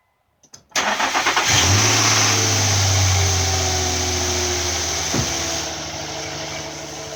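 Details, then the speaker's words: 2006 Infiniti M35 after valve cover work and misfire repair, first startup: quick crank, clean catch and brief flare, then an even, smooth idle with no stumble; normal startup and idle. "sound normal first startup we want to let it sit and run and warm up to get normal operating temperature and look at the fuel trim and compare it information"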